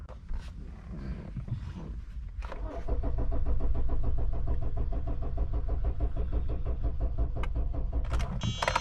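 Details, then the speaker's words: 2013 Kia Optima, crank-no-start with no PCM communication, jump box connected: steady starter cranking, about three turns a second, engine never catches; no firing. "this car crank no start and no communication first let's verify that"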